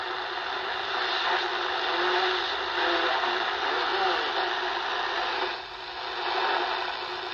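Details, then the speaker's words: Hallicrafters SX-140 receiver after selectivity/BFO potentiometer replacement and IF realignment: hiss with garbled voice-like signals and CW heard without tone; BFO still not working. "Hear how you clearly hear CW happening, but there's no tone. You hear that? So we have no BFO is the issue still."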